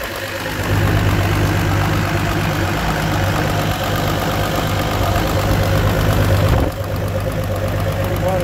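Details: Evinrude G2 200 HP outboard after descaling and removing a foreign object blocking water flow that caused a false code 25 EMM temperature fault; steady, even low idle settling smoothly after start, no misses or surging; water flowing, running healthy.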